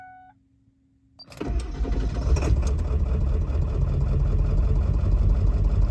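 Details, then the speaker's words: 7.3L Powerstroke diesel cold start first thing in the morning after swapping the ICP sensor to fix hard starts; short crank then steady low idle, not the smoothest but no lope. "not the world's smoothest idol but swapping out that icp seems to have changed it"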